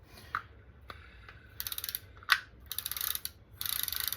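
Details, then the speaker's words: Daiwa Sealine 50H fishing reel after reassembly with new drag washers and oiled bearings: three short bursts of fast, even clicks as spool spins; clicker ratchet working properly. "So we're gonna clicker. Okay, we got a good"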